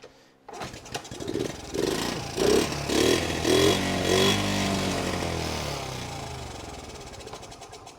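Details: 1977 Honda Z50 after 25 years in storage: single coughs and catches, a few throttle blips, then an even putter; starts and runs properly.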